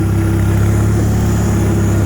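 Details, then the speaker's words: Bolens HT-23 garden tractor driving laps after new coil: steady engine drone with faint constant whine; owner suspects rear end, cause unconfirmed. "one more lap and then I'll shut it off a little bit of a sounds like a wine from the rear end"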